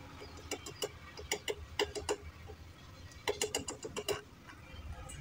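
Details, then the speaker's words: Motorcycle horn removed and wired directly to the battery: only short, scratchy clicks in two bursts with no tone, so it is not working. It is to be fixed with the sound-adjusting screw. "Jadi, ternyata klaksonnya tidak berfungsi. Tapi jangan panik dulu, teman-teman . Klakson motor standar ini biasanya memiliki sekrup pengatur suara di sini, teman-teman."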